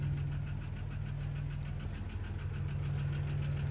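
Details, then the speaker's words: 1992 Plymouth Voyager, cold, running again after fusible link replaced with 20 A fuse; oil had burnt smell and metal shavings, fresh oil change: steady light top-end tapping about three a second at idle, with smoke; cause not found. "lovely tapping sound see if there's any smoke"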